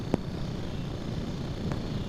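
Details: Snapper 725 EXI lawn mower single-cylinder engine after lightly tapping the carburettor float bowl with a screwdriver, a temporary fix since the float is likely sticking: steady, even idle with no surging.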